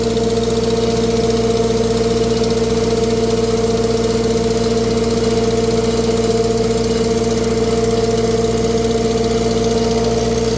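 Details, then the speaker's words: Tractor on a dyno, run warm for a while: a steady idle with a slightly uneven beat, about two or three pulses a second, stumbling now and then; a slight miss, cause not yet checked. "Sounds like it got a little bit of a miss. Have to check into that."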